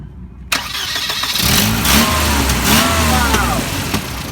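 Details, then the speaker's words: Old Volvo engine run after cleaning and cylinder head work; idle raised to about 750 rpm from 500 before, and it needs a few throttle pumps when starting. It catches after cranking and stumbles unevenly with a lumpy, low idle; rough running, though much improved. "it that runs terrible yeah but it used to be a lot worse you know"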